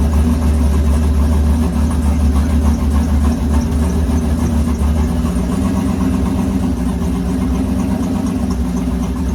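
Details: V8 with Huron Speed turbo kit and BTR turbo cam, first start after oil priming: deep, loud, slightly lumpy idle holding steady after first fire, no knocking or metallic clatter; normal idle.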